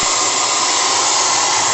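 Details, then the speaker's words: Gas burner of the Maximae launch's live-steam RC boiler, on a table test, relights after the steam pressure is let down and roars at full flame: a loud, even hiss with no sputter or pulsing. Some small flame flashbacks, temperature under 30°. "Et voilà. Vous l'avez entendu, le brûleur est reparti."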